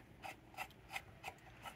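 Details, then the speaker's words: Zenith Z519P tube clock radio, about 70 years old, during restoration: after restringing the dial cord with spring around the drum, the tuning mechanism turns with light, even soft ticks and rasps, string running freely without slipping; works perfectly. "wo wee now that works perfectly"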